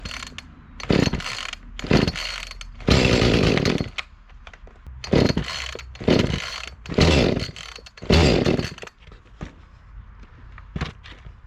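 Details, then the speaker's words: Echo CS-352 chainsaw, fuel age unknown: fires in short bursts then cuts out repeatedly, starting then dying. "the complaint with this saw as you just saw is that it'll start and it'll die out"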